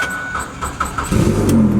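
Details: 2005 Ford Five Hundred AWD SEL, 187,000 miles, weak battery, check engine light and misfire: slow, labored cranking about four beats a second before catching and running up; hard start, cause unconfirmed.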